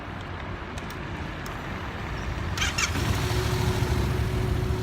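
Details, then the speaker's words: 2017 Yamaha MT-07 ABS first start after sitting about 3.5 weeks: brief crank, then the twin catches at once and settles into a steady, even idle; clean, healthy start. "Look at that Japanese bike reliability. First start."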